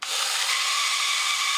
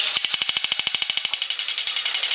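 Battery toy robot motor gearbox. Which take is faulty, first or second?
first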